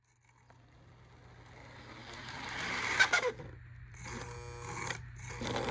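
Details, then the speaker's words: Lionel model train armature motor whirs with steady hum and thin scraping squeals from a dry armature; fix is a little oil in the reservoir and a dot on the armature shaft. "If you're getting a squealing noise from your engine, most likely the armature motor needs to be oiled. See if this sounds familiar."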